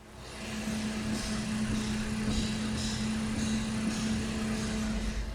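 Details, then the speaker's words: Thermaltake 120mm PC fan spinning much faster than another 120mm fan, heard up close: loud steady airy rush over a constant hum, no knocking or scraping; normal high-speed fan, just noisier. "Observe como esse aqui já faz o Vitor e também mais barulho vou chegar perto para vocês verem dia bem mais rápido"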